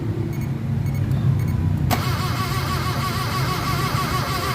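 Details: Car start after electrical wiring repair: brief low cranking, engine catches at about two seconds and settles into a steady even idle; check engine light went out, confirming wiring fixed.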